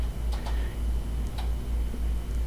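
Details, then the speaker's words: Orion DPL xx16G telescope azimuth slew motor at rate 2, camera close to the housing: sharp clicks about once a second over faint motor hum in either direction; fault in the azimuth drive causing jerky tracking, apparently worsening. "okay so here is the second indication in addition to the i what is seen in the eyepiece that there's a problem with the azimuth slew motor and that is you can physically hear the click"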